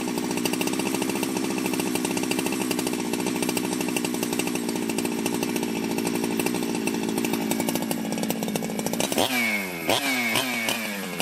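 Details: Ported Jonsered 2071 chainsaw after rework; it had run poorly, like an air leak with a hot case, but no air leaks were found and the crank was re-tightened. Crisp, steady high scream held at full throttle, then rapid clean blips falling back: normal high-rev running.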